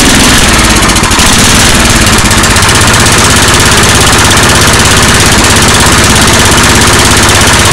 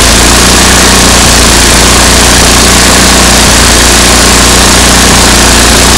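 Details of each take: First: MTD 8 hp 26-inch two-stage snow blower, Tecumseh engine, carburetor just refitted; loud busy single-cylinder idle runs several seconds then sags and cuts out as the bottom idle mixture screw is turned in too lean, stalling it. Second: MTD 8 hp two-stage snow blower, Tecumseh engine sat about 10 years, after carburetor work and backing the bottom mixture screw out: loud steady single-cylinder idle with no surging or stumbling, idling like it should; sputters slightly pulling up to speed.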